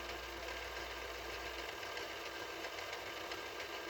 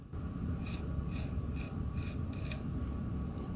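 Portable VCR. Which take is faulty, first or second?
second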